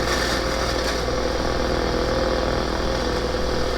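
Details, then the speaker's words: On an RSPdx receiver with a mega loop antenna at 5 MHz in the morning in Clearwater, Florida, dense crackling hiss and faint fluttering buzz swamp the band with no clear station. High solar A-index (38) is suspected. "so I just hooked up my rspdx using my mega loop antenna and look at the noise oh my gosh this is five megahertz which normally this time of day I can receive very good"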